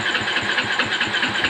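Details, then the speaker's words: Honda motorcycle with a newly installed hidden kill switch turned off while the ignition key is on. The starter churns steadily at about eight pulses a second but the engine never fires because the kill switch cuts ignition. "At kahit na naka-on yung susian natin, tapos na-off natin itong kill switch, ayaw pa rin niyang umandar. Hindi natin mapaandar yung motor."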